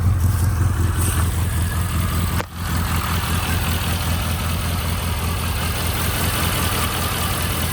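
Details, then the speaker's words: 1992 Rover Mini Cooper SPi petrol, cold start after sitting overnight: steady, even low idle with smooth intake hiss and no knocks or misses. Healthy normal idle. "Runs and drives nice. I accidentally ended the video, but yeah, well, what I was saying, runs and drives great. Idle's awesome."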